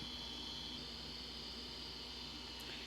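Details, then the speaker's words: Macintosh PowerBook 160 base unit from scrap, first power-up: thin, steady high-pitched spin hum with no head clicks or seek chatter; hard drive spins without seeking, machine powers up. "don't hear it clickety clackety clucko twinkulating. So, alright, well, at least we know the machine powers up."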